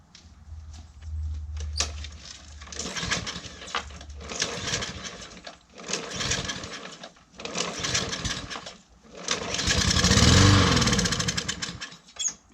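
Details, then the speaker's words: Briggs & Stratton engine with plastic black carburetor, running on ether sprayed into the carb: fires in short one-to-two-second bursts on each attempt and dies between them; fuel starvation, carburetor suspected, needing cleaning. "And if it does, then we know that the engine is just missing fuel and there's something wrong with the fuel system, which is typically in the carburetor on these."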